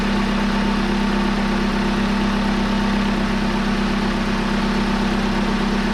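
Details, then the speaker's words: 2002 Hyundai Elantra idling after power steering pump replacement (old pump bearing loud), front wheels raised, fluid being cycled: steady smooth idle, no whine or groan from steering pump; normal idle. "there she sounds nice and quiet now"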